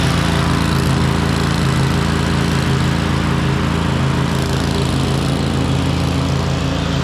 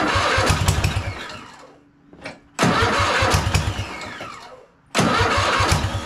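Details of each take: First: Cub Cadet RZT zero-turn mower with a 54-inch deck, V-twin with a bad compression release, running before the swap to a newer Kohler Courage V-twin. Steady, even fast idle with no knocks or misses; the internal fault is not audible. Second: Cub Cadet RZT zero-turn mower after swap to newer Kohler Courage V-twin, first start with carb spray: two quick crank bursts fire into an even, steady running beat; normal start and run.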